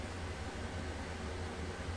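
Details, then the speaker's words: RV propane furnace after a Honeywell digital thermostat upgrade, set to heat at 85°F: the burner ignites and the blower runs with a steady low rumble and even airy rush, warm air from the vent, no clicks or rattles. "means it working easy enough huh just feel an event down here warm air coming out so for sure ignited"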